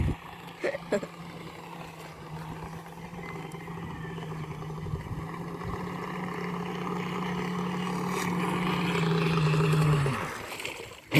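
Steady motor whine with uneven clicks and rattles over it as it runs, from a broken cross joint on the propeller shaft.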